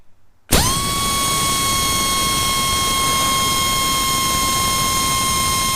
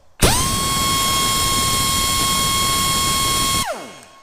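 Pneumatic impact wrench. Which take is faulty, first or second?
first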